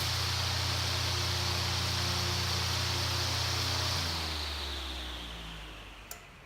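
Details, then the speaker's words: 1950s Grainger 20-inch commercial circulator fan, 1/4 hp GE motor at 1725 rpm drawing 4.5 amps, phone near motor; steady hum and airflow winding down, then a sharp centrifugal start switch click; normal. "I'm gonna put the phone closer to the motor so you can hear the startup sound and you can see how the lights dim when I plug it in it's drawn all those 4.5 amps"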